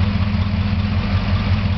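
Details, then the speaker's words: 1956 Chrysler 354 Hemi V8, street-rod engine stored since early 1990s, run periodically for a month: smooth even idle with no ticking; previously sticky lifter has freed up. "you don't hear it at all this time so that's not gonna be an issue"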